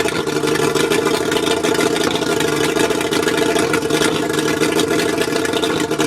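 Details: Mercury 135 outboard rough idle: uneven, stumbling beat under a steady drone, maybe a misfire. Spark plugs suspected, not confirmed.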